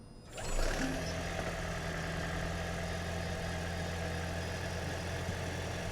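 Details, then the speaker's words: Blown Lexus being rebuilt, first start once the engine was installed, on second crank after a failed first attempt; catches within half a second and settles into a smooth, even idle with a steady low drone and no knocks or misses. "And we're chilling, dude. Hey, got it. And it's running, right?"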